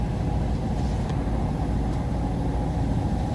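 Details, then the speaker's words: Burnham power-vent boiler with indirect water heater, system recently refilled after a pipe leak and still holding air: constant low roar with steady blower/burner hum, boiler firing normally but there is no hot water. "Sounds like your boiler's running, but you have no hot water."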